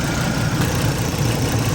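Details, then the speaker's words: 2012 Volvo S60 on its first start after reinstalling timing belt, pistons and cylinder head to fix oil burning and timing issues, not yet up to temperature: smooth, steady low idle hum, no knocks, ticks or misses. Healthy. "sounds like it's running good though nice and smooth no leaks other than what I spilled"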